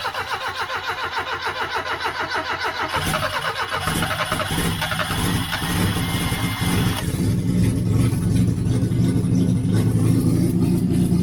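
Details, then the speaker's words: 1989 Austin Mini 998cc A-series, carbureted, after fuel was poured into the carburetor. Catches and idles with occasional dips. Mild stumble at idle; no fuel leaks. "is it going to stay running I think it [Music] is stumbling a little"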